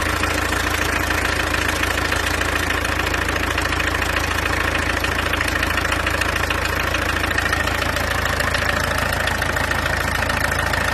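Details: Peugeot 404 LDV pickup, diesel, second pickup for comparison: steady even idle clatter, firm regular beat about three and a half per second, no misses; normal diesel idle.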